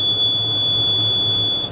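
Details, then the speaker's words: Net-wrap monitor on a Kuhn baler giving one long, steady high-pitched beep for about a second and a half, wrongly warning that the back door is open when it is not. "So now we got a new roll of net and we know how much we've used as we go forward. It's telling me the back doors open, which it's not."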